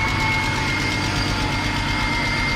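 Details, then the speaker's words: BMW 528, manual, first start after sitting about 2.5 years: rough, busy idle with light fast ticking over the engine note; lifter tick suspected. "all kinds of dirt in there. It's got your lifter tick."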